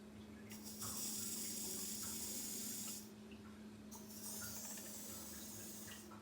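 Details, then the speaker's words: Older combi boiler heating system being refilled with a 50/50 water and glycol antifreeze mix: submersible pump maxed out, steady low electric hum under rushing, splashing liquid, no grinding or surging; normal pump operation. "I have maxed the pump out. I'm not sure what the flow rate is at max, but you can see it's moving it nicely."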